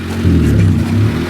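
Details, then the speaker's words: 1995 Honda Civic 1.5L running fine at first start, then the idle surges and sags; engine vibration loosens the fast idle thermal valve diaphragm, fixed by closing off the coolant lines and turning the diaphragm in, then bleeding the coolant system. "And for some reason, the vibration of the motor loosens this diaphragm that's in there. And once it gets loosened too much, then it creates this condition."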